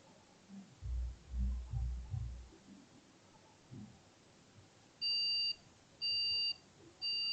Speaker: The second one is beeping. So this is a BIOS beep code when the RAM is missing from the motherboard.